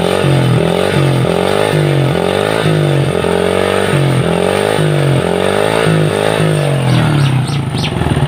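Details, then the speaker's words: Honda Supra Fit motorcycle engine smoking heavily from the exhaust: loud metallic clatter that hardens as the throttle opens and revs rise, pointing to worn crankshaft bearings. "dengarkan suara mesin dan kita lihat asap yang keluar dari knalpot motornya"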